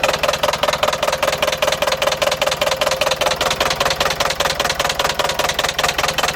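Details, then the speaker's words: Iveco 35-8 diesel van at idle after restart, engine shaking hard; loud, regular hard knocks about two and a half per second; owner suspects a spun connecting rod bearing (coulé une bielle), not confirmed; heavy knocking at idle. "Et je me doute bien qu'il faut pas le laisser tourner comme ça. Bon là il tremble à mort."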